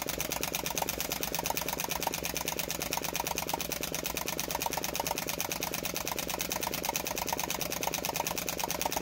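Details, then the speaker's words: Flame Licker "Nick" model engine with taper-bored flywheels: fast, steady, sharp popping about ten times a second from the ball valve as it speeds up; running normally. "so you can hear the popping from that valve the ball valve"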